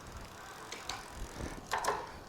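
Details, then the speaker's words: Magicycle Cruiser step-through bike, rear derailleur adjusted and pedalled by hand, shifting through 3rd to 7th gear: soft freewheel ticking with quick, clean shift clicks and no clatter; normal shifting. "6th gear. Again, you're not hearing a bunch of click and clack. And here's the 7th gear."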